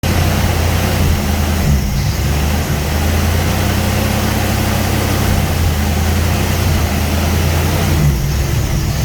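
Low idle drone that wavers slightly every few seconds instead of holding steady; the idle is surging, cause not yet pinned down.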